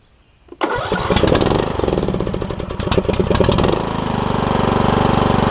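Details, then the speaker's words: John Deere E100 mower, 17.5hp Briggs, 80 hours, after replacing camshaft that caused hard starting: short crank, then catches right away into steady even idle; oil burning off muffler. "all that oil that's going to burn off the muffler inside the muffler and all that stuff sounds good though start it right up too so that's awesome"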